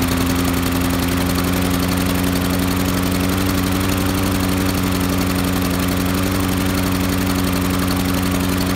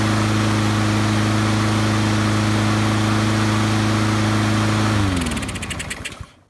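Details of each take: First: Honda mower engine with auto choke, chugs and stalls after startup per Honda service bulletin: rough, hammering single-cylinder beat below full rpm, not yet climbing before smoothing out; governor spring fault causing surging after startup. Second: Honda-powered auto-choke lawnmower after the Honda service-bulletin fix for chugging and stalling after startup, new governor spring fitted and rpm set near 3000: steady, even governed hum with no surging, then clean spin-down at shutoff; healthy.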